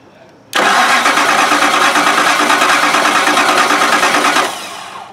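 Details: 2006 Lincoln LS 3.9L with no spark, no fuel and no communication from the engine computer; the 5V reference appears to be missing and a bad block ground is suspected. The starter cranks steadily for about four seconds but the engine never fires.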